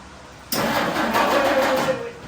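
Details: 1952 Dodge Wayfarer after fixing a flooding problem so the carburetor float now shuts off fuel from the electric pump: a short, rough crank-and-catch burst that dies without idling; hard starting. A fuel leak was then found, and possible flooding is suspected.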